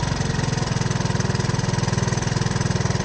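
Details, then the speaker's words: 1983 Honda ATC 185s single-cylinder ATV, aftermarket carburetor, during carburetor adjustment to fix hard starting; steady, even idle with a regular low thump, no stumbling or hunting; idle sounds about right. "okay that sounds about right as far as Idle goes so let's see if this keeps running out of gas"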